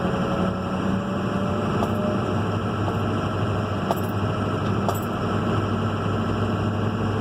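Steady engine idle with a faint, constant high whistle riding over it, pointing to turbo whine; no knocks or grinding.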